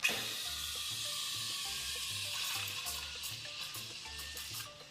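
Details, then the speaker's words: Espresso steam wand in milk: after lowering the jug from a screaming, no-air position, a soft steady hissing slurp with no scream; correct milk texturing, air drawing in properly. "Notice the screaming sound disappears."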